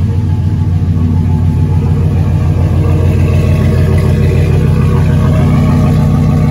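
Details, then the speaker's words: Cadillac Escalade rebuilt 6.0 LQ9 V8, dished pistons, ported 5.3 862 heads (10.5:1), LS6 cam, first run idling lean; steady, even idle with mild cam lope, no knocks, ticks or misses; runs nicely, normal idle. "that sounds good no trouble to hear that cam it's not a big cam but it does sound good though seems to be running nice not bad at all"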